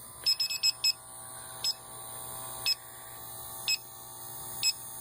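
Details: Condo AC with history of refrigerant top-ups, electronic leak detector at the indoor evaporator coil; high beeps jump from about one a second to a quick burst of five just inside the coil, not at the U-tube elbows: coil leaking.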